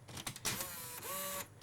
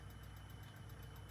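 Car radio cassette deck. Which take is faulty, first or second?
second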